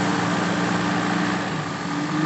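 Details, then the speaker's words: Feroza carburetted engine, complaint of high fuel use, misfire and black plugs, idles steadily after the primary jet was enlarged to about size 80: no stumble, misfire or engine vibration. "Kelihatannya sudah nggak ada anggregelnya ini terlihat di mesin tidak ada getaran-getaran"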